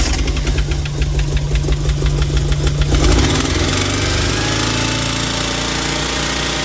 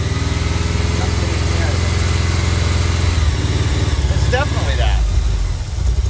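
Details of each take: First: 1987 VW Vanagon Syncro Westfalia, parked since 2001, running after engine reinstall while still blowing coolant out the muffler: uneven, lumpy running with irregular beats and unsteady speed that sags near the end; won't hold a steady idle. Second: 1987 VW Vanagon Syncro Westfalia parked since 2001, getting harder to start and run on starting fluid. It runs at a fast idle with a steady, even beat and no knocks or misses. The fault was later found: a pin pulled out of the airflow meter harness connector.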